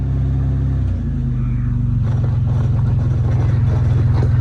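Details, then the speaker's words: Solid-axle 3rd gen Toyota 4Runner rock crawler, rear locker tested with slow burnout: deep steady engine rumble rising slightly under load with a rhythmic tyre chug; both rear wheels spinning, locker engaged, though a new or rebuilt actuator is still pursued. "Spinning on that side. Spinning on that side."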